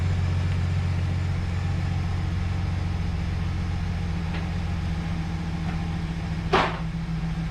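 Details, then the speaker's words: 2011 GMC Sierra 1500 with V8, recently brought back to running, started with battery reconnected: low, smooth, quiet idle with no ticks or knocks, one brief clank near end, slight squeaky belt noted; normal idle. "what do you think looks nice sounds all right huh nice and quiet let this thing run for a minute"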